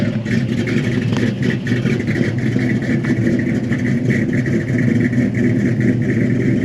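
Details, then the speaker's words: 1972 Chevy Malibu Chevelle SS tribute, 350 small-block V8 with mild cam, new Holley carburetor (previous one too big) and fresh tune-up, electric choke: even steady rumble, clean exhaust, no knocks or misses; healthy free revving. "sounds really really good"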